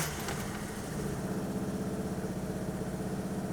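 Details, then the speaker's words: Citroën GSA petrol engine idling without choke after a repair, first run: uneven, wavering, pulsing idle that runs better than before but is still chaotic; owner thinks the fault is found, adjustments still needed. "C'est pas parfait mais ça tourne quand même déjà mieux. Là, elle est sans starter et elle tourne donc j'ai un ralenti. Bon, il est chaotique mais j'ai un ralenti."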